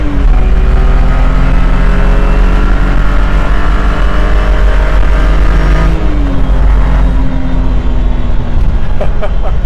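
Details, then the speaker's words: 2009 BMW E92 328i track car under hard acceleration with solid aluminum differential and transmission mounts: loud engine pull with steady differential and transmission whine carried through the solid mounts. "so as you guys could probably hear there's a lot of whining noises a lot of like differential and transmission wine and a big reason behind that is simply due to the solid aluminum mounts that this car has"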